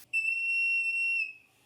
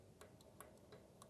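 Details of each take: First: Porsche 911 Carrera 3.2L on test stand during leak-down test: clean, steady high whistle about a second then fading; air escaping at the tester hose-to-head interface, not a head-cylinder leak, readings 80 and 80. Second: and you can hear that there's some clearance there. So it's not a tight valve on number 1, and that's good that it's not tight, but it's something we're gonna have to monitor, because if it gets much worse, then a rebuild is possible.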